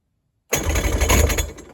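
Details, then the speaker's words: Salvaged 2003–04 Polaris Barrage fuel-injected jet ski that hadn't run in a while, first crank attempt: engine catches and runs roughly about a second then dies; owner suspects hydrolock from oil left in the crankcase. "So it ran a little. It did fire off. You couldn't hear it good on camera, but it did fire off. But I think it got hydrolocked by the oil that is in the bottom of the crankcase."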